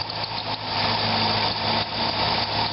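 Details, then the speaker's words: Corvette at idle, thin high squeak from serpentine belt area; tensioner movement doesn't change it, water spray on harmonic balancer briefly quiets it; owner concludes the half-worn belt or its brand is the cause, not confirmed. "it's not changing the sound so I am going to conclude that it's just the belt maybe it's the brand of the belt"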